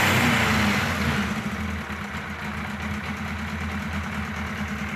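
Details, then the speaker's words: Kawasaki KZ1000 Police motorcycle ramps up high at start, falls slowly and hangs above idle before an uneven, wandering idle; behaves like a huge vacuum leak, also misfires banging gears until clutch pulled; cause not confirmed. "when you first start it up it ramps up I'm not really sure why [Music] and it wanders like I said it just behaves like a huge vacuum leak"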